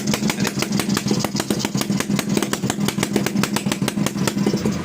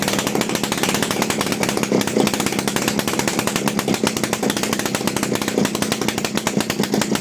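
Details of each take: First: TVS XL Heavy Duty two-stroke moped, freshly rebuilt engine run on extra oil in the fuel: steady rapid popping, about five firings a second, slow and heavy without clean revving; the excess oil makes it bog and smoke. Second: TVS XL Heavy Duty two-stroke moped, freshly rebuilt engine on extra oil in the fuel, just kick-started: busy buzzing beat picks up crisply with throttle and settles cleanly; running healthy.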